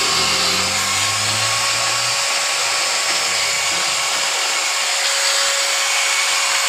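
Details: 801 angle grinder after bearing change: high, steady motor whine spins up quickly then holds an even, clean pitch with no rattle or grind; the repaired grinder runs healthy.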